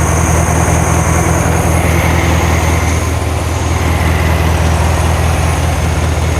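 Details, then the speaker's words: 1972 VW Karmann Ghia air-cooled flat-four, first run after sitting many years, no choke set up and valves not adjusted: low steady chuffing idle that hunts slightly, a little jumpy; normal idle, slightly uneven. "sounds good it's a little jumpy we haven't done any valves or anything"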